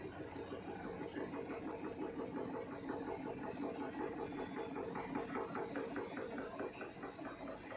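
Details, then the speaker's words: Samsung 6.2 kg top-load fully automatic washer, bought 2017 with no issues, in the second-cycle spin: a quiet, even whir with a light rhythmic swish about 2.5 per second while water drains. Normal, not much noise; the spin dries clothes about 80%. "तो ठीक ठाक है, ज़्यादा noise नहीं है। तो जब ये स्पिन करता है तो कपड़े को सुखाता है।"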